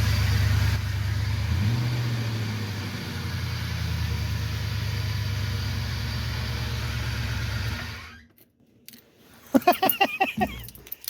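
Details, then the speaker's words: 1993 Ford Bronco just restarted after fuel pump replacement: loud, steady belt noise over rough idle at about three pulses a second; bottom accessory pulley (believed small pump) seized, dragging the belt and causing the squeal. "that bottom pulley, I believe, is the small pump. It's froze up. That's why that belt was making such a loud noise. That thing ain't moving at all."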